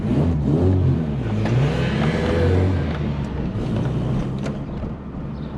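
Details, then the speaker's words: VW Polo Coupe on test drive after engine reassembly; engine pulls cleanly as revs rise and fall, even note with no knocks or rattles, power feels fine, no temperature warnings or dash lights; running normally. "oh it definitely sounds good um feels okay you know power feels there uh there's no horrible temperatures or lights on the dash"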